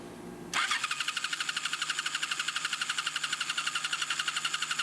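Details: 2007 Ninja 250 with charged battery, petcock just set to on, no fuel flow: starter cranks at about four even pulses a second with a harsh, raspy tone and never catches. Rough crank, no start; petcock or fuel supply suspected.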